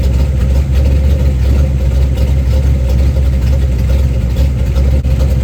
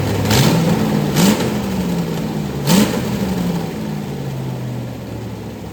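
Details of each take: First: 1990 Lincoln Town Car with 5.0 V8 on a 650 Holley carb, Torker 289 intake, GT40 heads, Cam Chowder cam, BBK long tubes and MSD ignition, first fire after the build; smooth even idle with steady low rumble, no knocks or misses; runs better than expected. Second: Rebuilt 1990 Lincoln Town Car 5.0 V8 (GT40 heads, 650 Holley, BBK long tubes) first fire-up, freeze plug also leaking: rough running with blips to higher revs and a raspy chuff over the idle; exhaust leaks all over.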